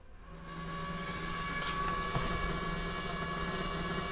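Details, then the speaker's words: Kymco at low idle: a thin, steady high whine that doesn't change with the engine comes from a noisy failing fuel pump, first mistaken for the cooling fan. "Yes, that is the fuel pump. Making hideous noises. I thought it was the the cooling fan. It is not."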